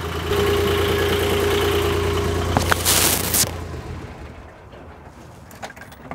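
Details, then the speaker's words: Old Yanmar marine diesel idling briefly to circulate oil around an oil change: even, steady low thrum with a clean firing rhythm, then shut down. Sounds okay; normal idle. "It sounds okay, so I'm tempted to let it run for a bit. Not long, but just a little bit longer."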